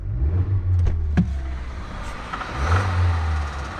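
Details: Kia at 61,705 miles, cold start, oil changed about 1,000–1,500 miles earlier, after a 450-mile round trip: deep, heavy rapping that quickens as revs climb; spun rod bearing, engine replaced under warranty.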